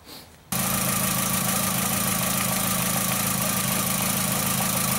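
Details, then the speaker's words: 2004 VW Jetta 2.0 litre with P0303 code, spark tester on cylinder 3 plug wire: choppy idle with irregular beat; no spark at cylinder 3, plug wire, coil or computer control all possible; cylinder misfire from failed ignition coil. "as you can tell no spark coming out of there at all but do we have a bad spark plug wire a bad coil or maybe the computer isn't controlling this coil to fire it"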